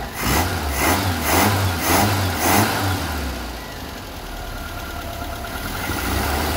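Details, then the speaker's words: 1975 Vauxhall Viva HC barn-find with newly fitted Weber carburetor and Edelbrock intake, after running a 12-volt feed to the carb's idle cut-off solenoid: crisp throttle blips, then even, steady idle with no misses, "purring like a kitten"; normal idle and revving. "all right there was just purring like a kitten turn sounding lovely"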